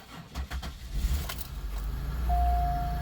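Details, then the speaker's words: Hard cold start on a very cold day on a General Motors vehicle with a weak battery reading 11.4 V: slow, labored cranking for a second before the engine catches and settles into a low idle; security light comes on when voltage dips below 12 V. "she started she may not have been happy about it but she started"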